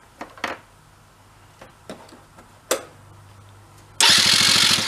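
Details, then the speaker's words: Benelli Andretti Z50 two-stroke scooter, 500 miles, sat long non-running, had flooded: quick rhythmic cranking never catches; spark confirmed good, owner suspects crank seals. Cranks but will not start. "sparks plenty good that's not the issue try to get to run for a second let it kind of clear out yeah so i see this guy some other kind of issue spark was not the issue"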